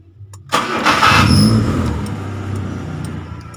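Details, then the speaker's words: Kia Sephia / Timor DOHC injection car after repairing a sticking starter motor: short quick crank, then the engine catches at once, flares and settles to steady idle; starter and start normal. "hidup ya teman-teman Oke berarti berhasil ya teman-teman nah starter sudah hidup dengan sempurna"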